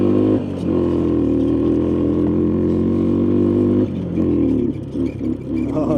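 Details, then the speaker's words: Honda three-wheeler, started with starting fluid, no choke hooked up, tires flat: single-cylinder engine drumming steadily on a ride, then a thin squeak up front. Owner suspects the front axle; source unclear. "Oh, man. Something is squeaky up front. I don't know if it's that front axle or what. That doesn't sound good at all."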